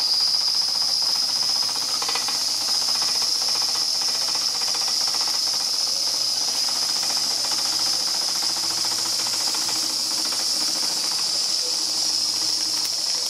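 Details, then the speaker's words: Rebuilt Märklin 4106 steam engine with a 6.5-inch boiler, fired by a homemade burner on about 90% grain alcohol: steady bright steam hiss with soft, even chuffs and no knocks, running slowly; a good runner, with a small sightglass leak. "Good runner. Nice and slow here."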